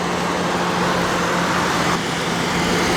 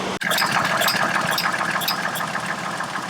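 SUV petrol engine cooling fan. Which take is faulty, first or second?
second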